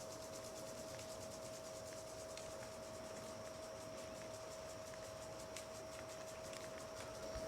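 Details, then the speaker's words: Rain Bird 35A impact sprinkler fed by a 1.5 hp jet (dirty-water) pump through Rain Bird 1.5-inch valves in pasture irrigation: soft, quick, even ticking, three to four clicks a second, over a quiet water hiss; normal impact sprinkler operation. "ain't that something i love the sound of 35 a's"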